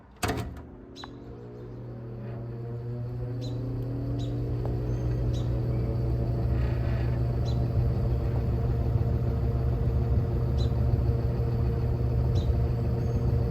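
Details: Evenflow by Robeson 20-inch box fan, needs cleaning, recorded from the back on low speed; steady low hum with soft whoosh building as blades reach speed. Running normally on low.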